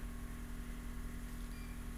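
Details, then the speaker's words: 2004 Ford F-250 diesel at key-on after installing a BulletProof Diesel FICM power supply, with FICM main power at 49 V. Quiet steady buzz with faint rapid injector clatter. Normal injector prime before a crank-no-start retry. "I'm gonna go ahead and go key on I'm gonna let it go through the injector clatter and"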